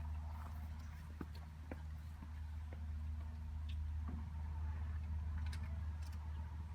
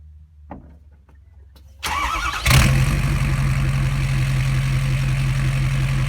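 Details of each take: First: 2012 Ford F550 6.7L Powerstroke diesel idling with resonator installed, mic 16 inches from the tips: deep even low drone with a steady beat about four per second, no knocks; smooth idle. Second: 2012 Ford F550 6.7L Powerstroke diesel with the exhaust ending at the pipe after the headers, mic 16 inches from the open pipe at a slight angle: short crank, then a deep, loud, choppy idle rumble from the open exhaust.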